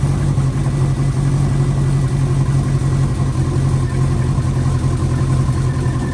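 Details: Freshly installed engine in an 04 Subaru, first morning run after filling oil and coolant and bleeding overnight: steady, even low idle with a smooth rumble and no knocks, ticks or misses; running cleanly. A coolant leak was later addressed at a cylinder-4 cooling-mod fitting, believed fixed.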